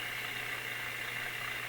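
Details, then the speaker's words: Westinghouse 622 vacuum-tube radio with a replaced volume control, supply raised from about 70 V: a steady low mains hum under faint hiss. The control's contacts have gone high resistance or open, so it acts like an antenna picking up hum. "you can hear that that hum that comes H now that's from the contacts here becoming High Resistance or even opening and then the volume control works more like an antenna than it works like a volume control"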